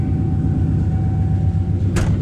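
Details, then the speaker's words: Coyote-swapped Foxbody Mustang after replacing the failed fuel hose inside the tank: low, even idle rumble with no stumbles, ticks or surging; fuel pressure 60 psi, fixed, normal idle. "Aha! Sounds like she's supposed to. Let's double check fuel pressure. Make sure the pressures are good."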